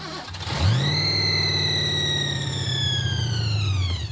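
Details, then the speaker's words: Blown Thunderbird on a winter road trip at 0°F, after it died with a massive oil leak: cranked to check for seizure, it catches, revs smoothly and fades, apparently running off the accelerator pump while out of gas. Engine runs, not seized. "Well, the good news is it runs. It's out of gas."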